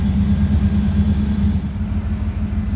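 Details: VL Calais Walkinshaw with an injected 304 5L V8 conversion, first start after wiring was completed: the V8 settles into a steady, even low rumble with no misses or knocks. Normal idle.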